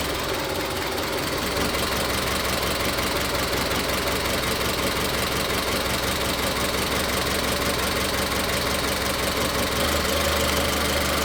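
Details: Car with individual ignition coils, being tested for misfire, showing an uneven, lumpy idle with an irregular stumble about three times a second during a coil-connector power balance test; the misfire was later traced to cylinder three.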